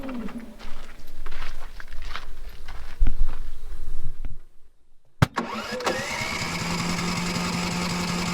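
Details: Generator powering a welder during trailer repair: engine cuts out to near silence, then cranks, catches and settles into a steady even drone; repeated stalling, cause unconfirmed.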